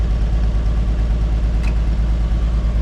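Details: 1950 Chevy Deluxe converted from 6 V to 12 V with a one-wire alternator, at idle with the lights on. Steady, even idle with no knocks or misses; the charging system is healthy.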